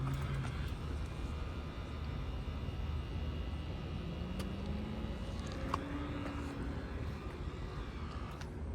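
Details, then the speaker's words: BMW X5 45e at over 50,000 miles, lowering the body with the air suspension button; a low, steady electric compressor hum with no creaks or knocks. The air suspension compressor works normally. "So we'll hit this button to lower the car, and you'll hear it. You can hear the air compressor."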